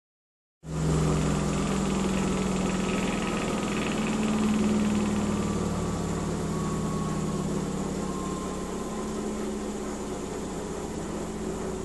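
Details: Miele W 5963 washing machine during spin: loud, steady droning rumble with humming tone that rises and settles; abnormal spin noise.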